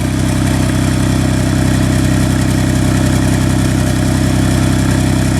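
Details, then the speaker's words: Engine refilled with oil and run with no antifreeze; it has a major miss blamed on poor running by the previous user. Loud, uneven, loping idle pulse with no knocking. Misfire on cylinder 5 at idle. "You can hear it misfiring on cylinder 5."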